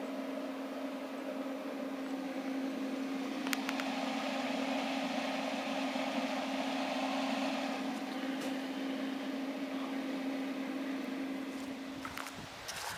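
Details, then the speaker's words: Northern Industrial Flux Core 125 flux-cored welder idling, not welding, after about half an hour of running: even steady transformer hum with fan rush, no crackle or surging, then shuts off; no overheating, normal welder idle. "I'm not sure if you guys even heard it running or not, but still running."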